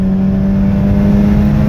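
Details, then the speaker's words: Mazda RX-8 rotary on light load near stop signs, coils a couple thousand miles old, plugs and wires unchanged: steady low drone sagging as if about to stall; random misfire/fuel cut above about 50% throttle, owner suspects ignition, possibly fuel. "shift to recover it sometimes sometimes i can't just stalls out it seems like an ignition thing but it could be fuel another stop sign did it again another misfire"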